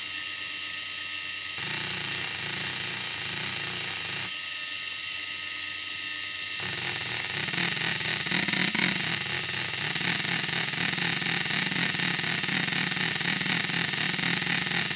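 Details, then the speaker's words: RC crawler axle with a so-called CV joint turned at steering angle: a gear whir that swells and fades in a wah-wah pulse four times per revolution at the output, worse with more angle, showing non-uniform rotation, not true constant velocity. "hopefully you can hear that wah wah wah wah wah wah that's the non-uniform rotation fast low fast low four times per Revolution at the output"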